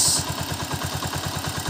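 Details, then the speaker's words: Honda TMX 125 single, warmed up, valve clearance set to standard 0.08 mm: even idle with a light, regular tick about eight times a second; minimal tick is normal at this standard clearance. "pero yung tunog niya is nagkameron siya ng minimal na lagati so 0.08 Okay lang siya Normal lang siya sa t kasi yun yung standard niya"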